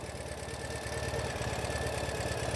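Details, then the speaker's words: 2014 Ural Patrol 2WD sidecar boxer twin idling cold on a winter day, not warmed up, after one-turn start and EFI service: steady, even putter with no ticking or missed beats; healthy, smooth engine. "Idles super nice. It is pretty cold today. It's a winter New England day. And it isn't really warmed up."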